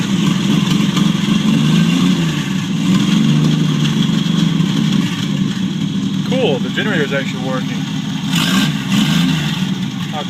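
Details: 1949 Chevrolet Deluxe 4-door, first start of a used replacement engine swapped in for a locked-up one, no exhaust fitted: a little putt-putt then fires up into a loud, open, uneven lumpy rumble that keeps running; normal running.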